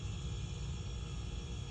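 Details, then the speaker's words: Samsung 240 V inverter refrigerator compressor run directly with control board removed: low steady hum, no knocking or stalling; compressor runs alone, though it stopped when the board was installed, so the board is suspected; amp draw high. "you can actually just run the compressor by itself nothing else will work the fan will not work the board is out"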